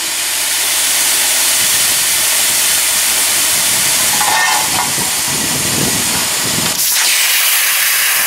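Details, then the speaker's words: Homemade vacuum tank used to de-water a car hoist ram, tipped upside down and pressurized to expel the almost pure water: steady loud air hiss with sputtering gurgles, then sharp cutoff; tank blowing out liquid as intended. "i'll just tip my bottle upside down here and then just uh pressurize it to blow this back out oh there it goes"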